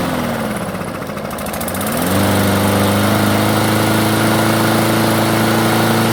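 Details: Craftsman self-propelled mower, carb previously cleaned: starts and runs only at low idle, stalls when self-propel engages or when cutting. Hunts low, then settles into a steady, slightly lumpy idle that never climbs.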